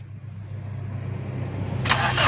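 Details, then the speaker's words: 2008 Toyota Corolla, petrol, cranked on the starter with the ignition coil pulled to check for spark: steady rising whirr but the engine never catches; no spark at the plug, crank sensor wire to be checked next. "Sulph लगाएं। बस हो दोस्तों, इसका प्लग का करंट नहीं आ रहा। उसके बाद क्या चीज़ चेक करनी है दोस्तों।"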